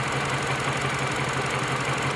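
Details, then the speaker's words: Mini Cooper at idle: choppy stumble in the firing beat; OBD showed pending misfire codes on cylinders 2 and 4, then misfire jumped to cylinder 3; scope shows spark working but cylinder 4 injector opening more, injector to be replaced. Faulty injector misfire. "Although the spark is working, it doesn't mean the injector is correct. So I'll speak to the client and we will replace the injector also."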